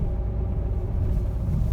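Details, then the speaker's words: 2012 Renault with EDC gearbox, 115,000 km, driving: a deep, rough growl under the running noise, starting as the car moves and rising with speed; gearbox bearing. "bıtkı hızlandıkça da ses artıyor"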